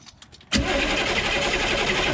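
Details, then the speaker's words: Humvee diesel after valve cover and fuel line work, purging air with the injector lines loose, no fuel out yet: half a second of quiet, then the starter engages with a steady grinding whir; has not fired. "well nothing is coming out no fuel coming out at least not yet"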